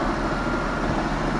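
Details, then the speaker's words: Mercedes-Benz C230 Sport (Copart project car) at normal idle after an air-canister leak was fixed: steady, even petrol engine hum, no knocking or ticking. "sounds really good now that we've got that air thing taken care of I can actually hear it you don't hear knocking"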